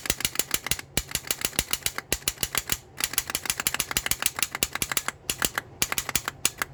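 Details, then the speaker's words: 2002 Toyota Solara SLE with a starter problem, won't turn over: rapid sharp clicking in quick bursts, several a second, with no cranking; starter solenoid chattering, owner suspects a bad solenoid and tries banging on the starter. "I'm gonna bang on it and maybe I can get this freaking thing to start but I'm by myself so maybe I can bang on it and get it started but it seemed like the solenoids just jacked up"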